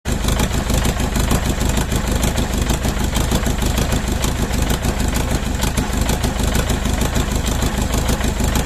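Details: Mercedes OM611 diesel on standalone setup with factory Bosch ECU, second start: heavy, deep idle with a lumpy, rhythmic stumble about twice a second; misfire from one bad injector.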